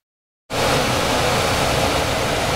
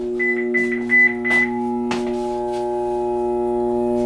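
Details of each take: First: 26-year-old Trane furnace after a new half-horsepower blower motor and capacitor were fitted and the unit was cleaned: a steady, even rush of air with no whirring, buzzing or humming. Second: 26-year-old Trane furnace blower motor: a loud, steady buzzing hum and whirring as the blades try to spin but barely move; the motor or its capacitor is suspected.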